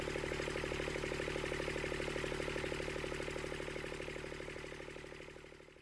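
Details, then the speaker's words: Scrap-yard Kubota D722 three-cylinder diesel after rebuilding the fuel injection pump, exhaust manifold off, all three cylinders showing equal exhaust temperatures: even idle clatter at about three beats a second, fading as it winds down; all cylinders firing evenly. "This fills my heart with joy to hear this little engine purring like a kitten."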